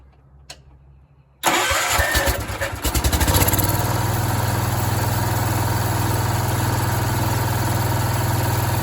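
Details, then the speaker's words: Free, long-unused Bolens garden tractor with a rebuilt Kohler 16 hp engine, started after work on an oil leak; catches after a brief crank, then a steady, even idle with no knocking or rattle, runs well. "That engine runs amazing. Yeah, it fires right up, idles, doesn't have any weird rattling or knocking or anything, and it hasn't been running a really long time, I can tell you that much."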